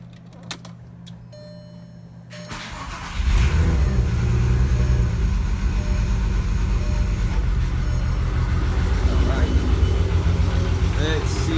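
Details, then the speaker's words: Engine cranks and catches, then idles unevenly with a stumbling beat after fuel pressure problems were fixed; misfire from debris caught in the injectors. "I mean I been having it too much fuel pressure and then I fixed that and then now it's misfiring and all sorts of stuff"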